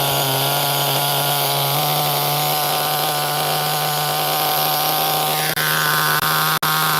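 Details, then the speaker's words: HPI Nitro MT 18SS RC truck nitro engine: high buzzy fairly steady note that sags and briefly cuts out near the end; running rich, idle dropping low, 1.5 mm idle set screw tool unavailable to raise it. "Yeah, she rich. So this thing has a 1.5 millimeter set screw for the idle. I didn't bring it, so can't raise the idle. The idle's dropping a little low."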